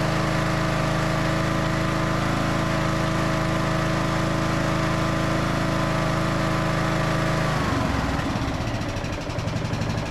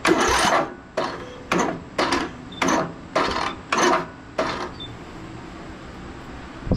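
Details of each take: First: Briggs and Stratton–powered Craftsman DLT3000 riding mower after fuel tank flush and fresh fuel, fixing a no-start: steady smooth hum at higher speed, then settles cleanly to a loping idle without stalling or missing; fuel delivery now fine. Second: Briggs and Stratton engine on a Craftsman DLT3000 riding mower that won't start, cranked with a jumper pack and brake set: starter strains through about seven slow, labored surges then stalls, barely turning over; engine can't be turned by hand.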